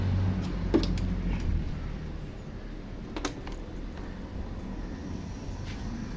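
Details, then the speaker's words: Facino BS6 scooter after a loose injector connection was tightened and cleaned, which had caused an intermittent injector supply: it starts and idles with a low, even putter and light clicks, showing no problems. "Friends അങ്ങനെ നമ്മുടെ വണ്ടി start ആയി പ്രശ്നങ്ങൾ ഒന്നുമില്ല"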